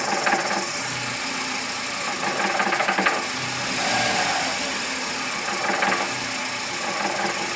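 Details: VW Gol G5 bought new in 2010, engine noise present since purchase and worsening: light uneven ticking with rattly bursts while running; source unclear, dealer never resolved it.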